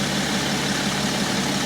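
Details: 2012 BMW X5 3.0 diesel AWD after the EGR cooler repair, warmed up after a 10-mile drive at 65 mph, no fault codes: smooth low-rumble idle with no knocks, ticks or misses. Engine healthy.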